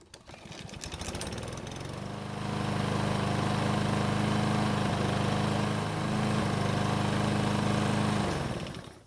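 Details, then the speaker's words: Troy-Bilt self-propelled lawn mower, bought with many problems, restarted hot after running several minutes on fresh gasoline: catches quickly and settles into a steady, even drone at constant speed; normal hot restart. "It's been running for several minutes and it should be good and hot. So let's see how it starts back up."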